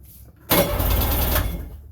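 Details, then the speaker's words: 1999 Sea-Doo GTI with rebuilt single carb and new fuel lines, 148-150 psi compression: one-second burst of starter cranking without firing; fuel not yet reaching the carb, fuel selector switch checked on. "we just got to get get her started and get a gas up to it and let's make sure our gas has turned on"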